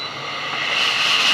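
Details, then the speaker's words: Tefal Access Steam Force DT8270G0 2000 W handheld garment steamer, 200 ml tank, turbo button pressed: hiss builds and swells with a steady high tone as more steam is generated; normal turbo steam burst. "so now let's try the turbo button let's press on it and it generates More Steam"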